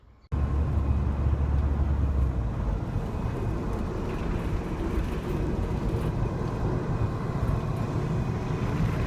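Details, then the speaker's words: Ford Transit rear-wheel-drive van at speed: thin, steady whine over road rumble from worn rear differential bearings, often misdiagnosed as transmission. "due to that wear you hear a whining noise and many times I've come across this where people have misdiagnosed it they think it's something to do with the transmission"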